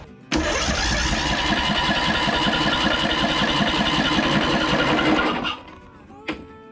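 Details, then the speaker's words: Free Toro 14.38Z 38-inch zero-turn mower with coil ground wire disconnected: about five seconds of steady starter cranking that never fires, no spark; coil suspected bad; cranks but won't start, cause suspected, not confirmed. "Spark I think the coil is bad so let's see if we can get that coil off there and see if we can find another coil that we can swap in there instead"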